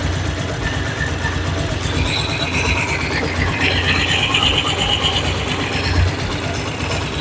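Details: Bajaj Pulsar 2009 model motorcycle, engine cold, mic held close: fast dry ticking from the top of the engine at idle, tappet noise from excessive valve clearance, before tappet adjustment by a mechanic.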